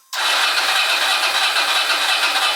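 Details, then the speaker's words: Motorcycle not ridden for a while, cranked after a 10-hour charge with a CTEK XS 0.8 charger: a fast, steady, strong starter crank that never catches. Battery fully charged; cranks but will not start, not the battery's fault. "So even though it's turning over and not starting, that's not the battery's fault, but there's plenty of crank there because she's fully charged."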